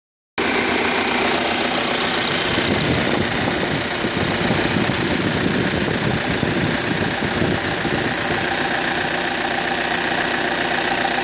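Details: 2009 Audi A6 2.0 TDIe diesel idling: steady idle with sharp metallic tapping about three per second near the common rail fuel rail; knock source unclear, alternator also reportedly behaving oddly.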